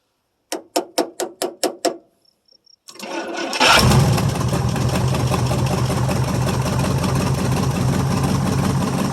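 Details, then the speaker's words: 1973 International 1210 2WD 3/4-ton, 345 V8, automatic, two-barrel carb, unrun nearly two years: cold start with the coil jumper-powered from the battery side; about six cranks, then it catches into a strong, steady, even idle. "hey runs pretty good when it's got juice to it"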